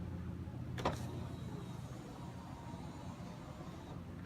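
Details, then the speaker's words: 2005 Honda Civic Hybrid power window, tested before clipping the door panel back on: click, then a steady low motor hum as the glass goes fully down. Slow but working normally after fixing a foam block that apparently blocked its travel. "the way down I'll let back up okay and that's the fastest thing in the world but at least doing what it should be doing now"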